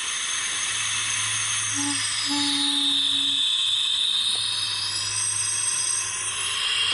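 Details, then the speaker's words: Cylinder leak-down test, air filter off, cylinder pressurized while the engine is turned over: steady strong rush of air hissing out the carburetor; the intake valve is not closing or sealing. "so we have an abundance of air coming through the carburetor so when i'm turning this engine over that's telling me that the intake valve is not closing"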